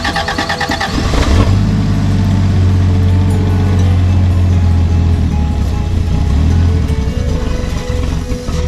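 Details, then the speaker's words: 1987 Toyota Land Cruiser FJ60 with 2F engine, first start after seven years sitting, with fresh gas, new fuel filter and battery: short cranking then catches and settles into a steady deep run; started cleanly. "thing hasn't been fired up for seven years so it's sitting in the guy's back lot for seven years some gas battery fired right up that's a land cruiser for you"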